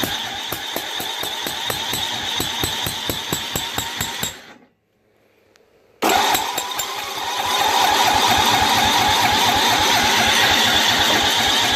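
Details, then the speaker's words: Snapper 25066S riding mower, 6HP Tecumseh engine, after rat-chewed magneto replaced and new battery; carb cleaner sprayed in, choke stuck open; starter chugs evenly about three and a half turns per second, pauses, cranks again without firing. "I'm gonna try and blow some carp cleaner in there and and just give it a crank and see if it'll turn over"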